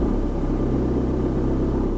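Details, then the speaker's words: Manual car idling just below 1000 rpm with the heater blower off, clutch lifted to the biting point without gas: steady low rumble holds as the clutch bites while the car raises revs itself, adding gas so the engine doesn't stall. "You hear the gas revving? That's the car doing the gas for me because it's saying, "Hey, you need gas. I need gas. I'm going to put the gas on for you."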